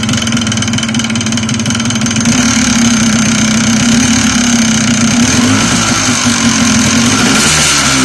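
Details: Yamaha Blaster two-stroke idling: busy, uneven tapping about three a second riding over the buzz, plus an extra knock that doesn't belong; foreign engine knock.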